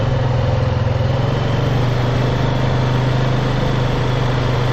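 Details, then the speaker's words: Honda Foreman Rubicon ATV after a front-end tune-up for a high-pitched squeak, no parts needed: the single-cylinder engine chugs steadily on a test ride with no squeal. "As you can see, it's quiet, no squeaking high-pitched sound, and it's not good."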